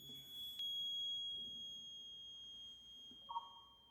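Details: Maxwell's inductance bridge trainer kit measuring an unknown inductance: a steady high-pitched detector tone sounds through the clip, with a brief lower chirp near the end, so the bridge is still unbalanced.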